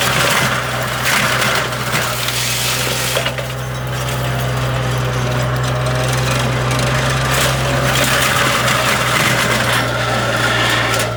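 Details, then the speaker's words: AGT flail mower, made in China, on a John Deere 35D mini excavator cutting tough brush. A steady hydraulic drone with irregular metallic clanks and knocks as the flail drum bogs down and jams, which happens repeatedly. "oh I think we're jammed oh yeah that's a good one"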